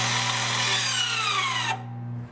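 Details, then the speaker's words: 2019-plus Toyota RAV4 leaving rear brake service mode: short rear parking brake caliper motor whine dropping in pitch as it loads, then cutting off cleanly; normal application. "And now you'll hear the noise again. The motor will go into its proper position."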